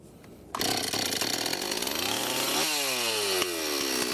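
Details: Rebuilt Stihl 026 chainsaw after carburetor rebuild, previously non-running with low compression, carburetor roughly tuned: fires right up, buzzes high and steady, revs cleanly and settles back without stumbling; runs healthy.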